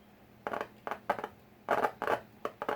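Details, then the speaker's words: A car audio speaker is "popped" by touching battery-powered leads to its wires, to find the speaker and check polarity: six or seven sharp crackling pops, so the speaker is connected and responding. "All right, that's popping a speaker. This is how you find where a speaker is in any given door or harness that's not labeled or whatever."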